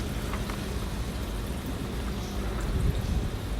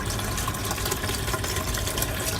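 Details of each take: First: Aquaone MiniReef 150 aquarium sump after a drain-pipe mod adding filter material, test-running fresh water before salt: soft steady low rush of water into the sump with faint trickling, no loud splashing or gurgle, far quieter than before. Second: Aqua One MiniReef 150 sump, drain standpipe, before noise mod (later filter mat added), running water only to test plumbing: loud constant splashing and gushing as water drops into sump. Noisy sump drain.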